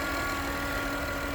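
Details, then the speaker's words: Acura/Honda idling with a check charging system warning; a loud constant thin whine sits over the rumble, steady with revs, while charging reads 13.5–13.4 V, down from 14+ V weeks earlier; the alternator is going bad. "because right here it's saying that it's charging 13.5, but I can hear that noise. I don't know if you guys can hear it, but it's pretty loud."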